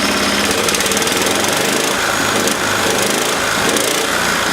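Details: 1970s Honda E2500 generator after governor readjustment: small engine holds a steady, even high-pitched buzz with no misses, knocks or surging; running smoothly and healthy.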